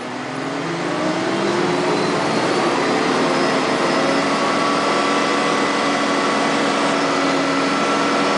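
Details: Diesel machine at Capivari, Quissamã RJ, silent when lightly loaded; under load it pulls hard with a thin rising, wavering whistle over the engine roar; turbocharger noise, cause not pinned down.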